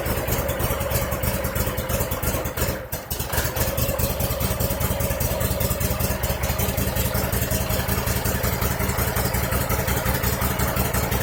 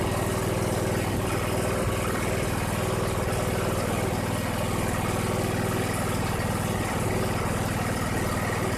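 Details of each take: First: 2001 Cub Cadet 3184 tractor, Kohler CH18S 18 hp OHV engine, 848 hours, before tune-up: uneven, stumbling idle with irregular chuffs and a near stall; rough running, sounding fuel starved, possibly a clogged air or fuel filter. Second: 2001 Cub Cadet 3184 tractor, Kohler CH18S 18 hp OHV engine, 848 hours, after tune-up and a new voltage regulator reading 14–15 V: even idle with a smooth low beat around four per second, no misses, knocks or hunting; a normal idle.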